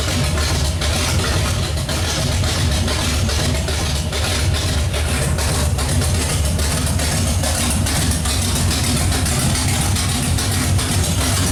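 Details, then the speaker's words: Pontiac 455 V8 just installed, idling with no exhaust fitted. Loud, raw, unmuffled sound with a steady, even beat and no knocks or misfires. Smells rich; normal idle, exhaust still to be added. "sounds good hopefully your runs as good as it sounds and uh we actually got to quiet it down because we got to put an exhaust on there but other than that smells like it's running good"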